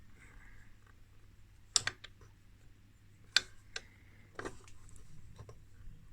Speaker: well so this is the band switch for the different uh frequencies frequency bands let me see if i can turn on this one here oh now that looks beautiful see if i dial this around clunk